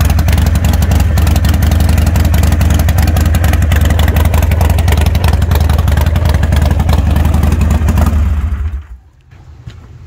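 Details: 2020 Harley-Davidson Roadster XL1200CX, salvage restoration, after new speedo fitted, check engine light on: loud, deep V-twin lope at idle with a steady uneven-firing beat and no mechanical clatter before shutdown; healthy.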